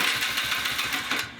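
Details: Polaris Trail Boss ATV in neutral after a new ignition switch was installed: quick, even chuffing about six per second as the starter spins the engine over, then it stops; cranking is healthy.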